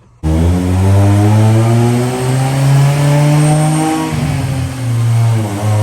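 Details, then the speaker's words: 1998 Honda Prelude, Jackson Racing supercharger, Crane Cams ignition, FMU removed for running very rich: deep note hangs low and barely climbs under load, flat and labored; struggling after timing pulled, timing erratic, factory distributor suspected, mechanical timing unchecked. "Now you can see it's struggling. I pulled that timing out of it. Yeah, the timing. The timing is super weird."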